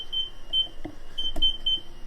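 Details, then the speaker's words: Fiat 500C, newly installed rear parking sensors tested with ignition on and reverse gear engaged: short high-pitched beeps several per second; parking sensor beeping normally. "they're working. Success. So now all we've got to do, so basically I've turned the power on, put it in reverse gear with the ignition on, and of course now it works."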